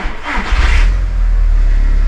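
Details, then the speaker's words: Audi TT Mk1 1.8T at start-up: brief starter whir, then it catches at once and settles into a smooth, stable idle of about 900 rpm with no stumble. No engine management light and no OBD2 codes before a coil pack is unplugged. Normal engine start. "started if we take a look at the dash we've got no engine management light which is a good thing and the revs are sitting nice and stable just below 1,000 revs"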